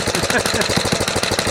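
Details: 1970 Rupp Scrambler small single at idle: fast, light knock on every few beats that disappears with a little throttle; cause unknown, the clutch and brake were then removed to investigate.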